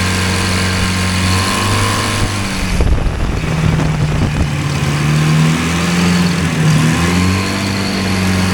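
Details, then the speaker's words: Hovercraft small two-cylinder engine, both cylinders sparking after pull starter refitted: steady even buzz with a few rev swings, firing on both cylinders but idling high. "yeah there L running and high l what do I do now"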